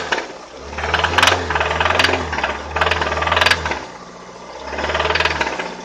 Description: 2003 Toyota Avensis 1.8 T3-X , knocking and rattling noise from engine.